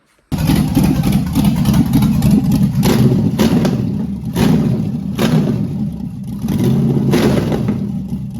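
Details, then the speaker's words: Carbureted LS V8 with MSD 6014 ignition box, after switching to the custom 1 timing table to cure backfiring: it fires and settles into a lumpy idle at about 800 rpm with blips and no popping back through the carb. The carb is oversized and needs jetting. "with the idle screws on it, and just the idle's at about 800 now. So not terrible, but it definitely needs a smaller carburetor on it and jetting properly. But she sounds decent."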